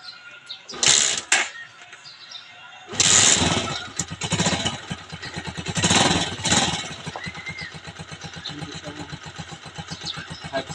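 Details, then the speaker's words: Honda TMX 125 Alpha single, cold early-morning start without choke, clutch worked and slight throttle: two kicks with short sputters, then catches into a steady even idle; carburetor idle and air-fuel mixture correctly tuned, so it starts easily. "malamig pa yung makina natin guys pero yan guys nakikita niyo umandar na siya dalawang sipa lang"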